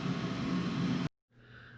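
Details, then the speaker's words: Lochinvar Shield SNR 126-065 commercial water heater after the leaking union above the pump was repaired: steady low burner roar with an even hum, no popping or surging, then a quieter fan whoosh. The heater ignites, runs normally and reaches temperature. "let's see if we ignite and start setting up the water okay button is on yep everything runs the way i should"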